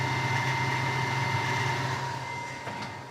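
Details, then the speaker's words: Solar inverter (EG4 FlexBoss21 or Amensolar N3H-X12US) just switched on, microphone moved close: steady high-pitched whine with rough low hum underneath, likened to a box of rocks; loud whining internal cooling fan. "Far from silent if you ask me. It's got that high-pitched whine. Yeah, that's uh pretty obnoxious, I'd say."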